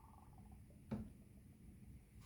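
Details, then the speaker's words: 1985 Mercedes 300TD wagon, power steering reservoir just topped off with Dexron III ATF. A soft, irregular bubbling gurgle as air is still trapped in the fluid; the fix is turning the wheel lock to lock to purge the bubbles. "Basically, we go in the car, we turn the steering wheel lock to lock back and forth several times, and uh that'll cause the steering box to turn and purge bubbles out of this and let the fluid flow back down in there."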